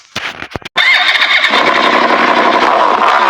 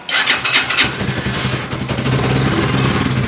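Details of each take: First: Italika Vortex 250 motorcycle after a partial engine rebuild at another shop: catches after a few blips, then busy metallic clatter over the idle; a loose nut rattling inside the engine. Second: Italika Vortex 250 motorcycle after half engine overhaul, brought in for engine noise: after tightening the loose nut that caused it, quick start and even single-cylinder idle with no knock or rattle, though fueling sounds slightly rough, like poor carburetion.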